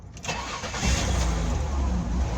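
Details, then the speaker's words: 2002 Ford Escape with CEL, low erratic idle and lean condition; on startup rpm shot to about 2500, then surged and hunted before coming down, with a steady miss felt. Idle air control valve suspected; finding: vacuum leak. "so when I first started it up I mean the RPM shot way up to like 2500 then they kind of surged and then you know whoa whoa and kind of came back down so um thinking like idle or control valve Maybe"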